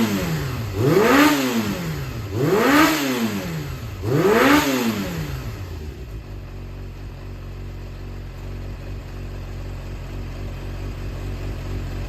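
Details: Yamaha XJR400 (4HM) running engine assembly, compression tested, no abnormal noise or white smoke: three quick throttle blips climbing and falling cleanly, then a steady even idle without knocks or rattles; healthy.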